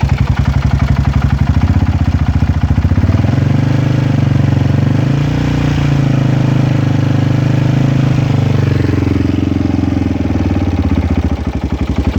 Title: Weird engine noise??